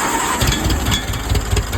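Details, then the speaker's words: 1947 Case VAH tractor started on a weak 6.3 V battery with the choke set, unknown time since last run: brief cranking, then it catches into a steady, even low chugging idle with no knocks; sounds healthy. "Well, I don't know how long it's been since it ran. It sure sounds good."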